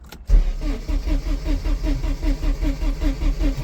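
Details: Porsche 944 Turbo stranded after a breakdown: steady cranking at roughly five compression pulses a second with no catch. This is after fitting a new rotor arm, since the old one was cracked, and a swapped distributor cap; spark was present on all four.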